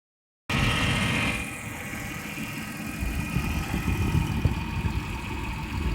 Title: 2000 Ford Taurus 3.0l 24v weird noise